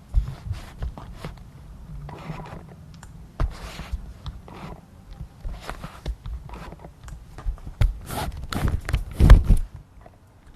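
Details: Tamron 24-70mm F/2.8 Di VC USD G2 zoom lens: short, scratchy squeaks in quick bursts as the autofocus drives back and forth, autofocus motor squeak.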